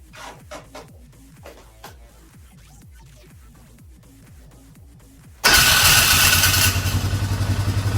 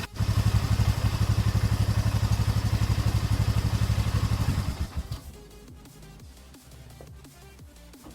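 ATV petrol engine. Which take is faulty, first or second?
first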